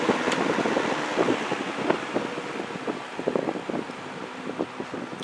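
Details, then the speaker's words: Vintage GE W22 box fan on low, cleaned: soft steady airy whoosh with faint light ticks, slowing way down and going very quiet on low like a Lakewood; normal running. "Watch how low it goes on low. This thing slows way down when it goes to low, which is, it's kind of like a Lakewood."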